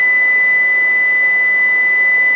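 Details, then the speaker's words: Galaxy DX66 CB radio before tune and alignment, keyed and heard on a monitor radio on channel 19: a steady high whistle under a harsh wide hiss; clipped, overmodulated transmission splattering onto adjacent channels. "yeah that's really bad yeah she looks clipped um so there's your before you could hear it coming through on the monitor radio"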